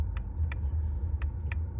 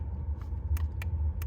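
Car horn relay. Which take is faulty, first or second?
first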